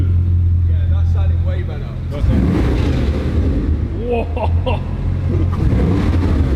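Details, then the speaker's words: Wrecked Bugatti Chiron Pur Sport after clearing fault codes: deep even burble rising cleanly on a quick rev and dropping back without stumble; now runs smooth, engine management light off, engine seems okay. "See, I'm interested to see if it runs better now we've cleared the faults cuz it didn't sound great. >> Oh yeah, it sounds smooth."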